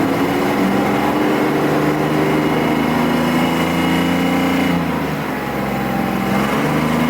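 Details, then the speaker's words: 1993 Mercedes S600 W140 V12 that hasn't run in a while and smells of old gas, revved below 4000 rpm: it pulls up and drops back with a slightly uneven, hesitant note, not firing right. The owner suspects the air-fuel mixture. "It sounds nice. It just ain't firing right. It's got the wrong air-fuel mixture, or I don't know."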